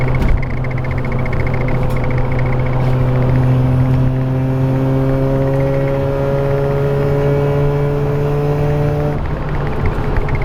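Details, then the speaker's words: Mazda RX-8 rotary cruising after the loose undertray was zip-tied back up; smooth steady engine note with no panel buzz or rattle underneath; normal cruise, rattle was just the undertray. "We're going above, like, you know, 60, and there's no more rattling sound. So at the end of the day, it was just the Undertray."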